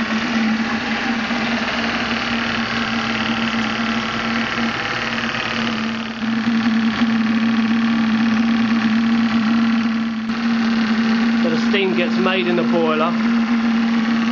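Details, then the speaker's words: Maxitrak Graupner 5000 gas-fired steam engine driving a pond water pump, first firing, about two bar, condensate cleared; steady hiss with even chuffing beat and constant low hum, no knocks or rattles, normal running. "it's running about two bars condensates cleared from these little cylinders it's really flowing now"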